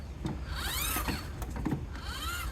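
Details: New 10-blade reversible roof fan with rain sensor and self-closing lid, installed on a 1985 Ford Econoline van: short high electric whirr rising and falling in smooth sweeps as the small motor drives the lid; healthy motor.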